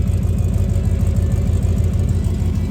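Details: 1994 Ford F-150 V8 after oil pan gasket replacement (oil pressure confirmed, sending unit failed): deep, steady exhaust rumble at idle with a regular low throb and no misses or knocks; normal idle.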